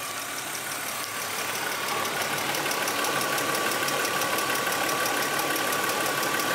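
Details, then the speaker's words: Cheap E36 BMW M3 revived, idling while warming up: light even tick about three a second, similar to its original noise; owner suspects a lifter, unconfirmed; burning oil smell, temperature slowly climbing, thermostat possibly stuck open. "it's still definitely there it's hard to say i want to say it's a lifter it sounds similar to the sound that this car originally made"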